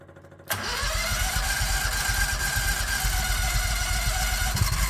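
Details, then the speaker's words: 1969 Renault R10 with 670cc Predator V-twin, manually choked carburetor, first start after winter, engine cold: starter catches, then a slow loping putter with slight wobble; idle too low while cold. "not bad oh it sounds like the idle's too low me it'll do this when the engine's [Music] cold"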